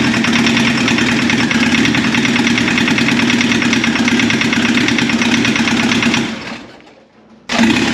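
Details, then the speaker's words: 1981 VW Rabbit pickup (Caddy) with swapped turbo diesel at first run: rough uneven clatter with sharp ping, two cylinders not firing; cracking lines shows two bad injectors, lack of fuel/aeration, injection pump believed okay. "That pinging noise you hear is just that diesel ping from those injectors not firing well, so it's just a lack of fuel, some aeration probably."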